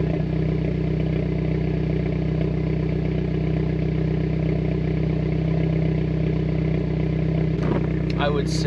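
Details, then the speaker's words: Mitsubishi Evo X engine, not yet fully warm, that breaks up under high boost and developed a misfire after a spark plug change, with plugs regapped: rough, uneven idle with irregular stumbles; misfire count unchanged. "now we're going to listen for misfires in case it does misfire a little rough idol we're going to listen for that"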